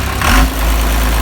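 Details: 12-valve Cummins diesel truck, first start via remote starter with gauges hooked up: deep even clatter settling into steady low idle right after starting; normal diesel idle.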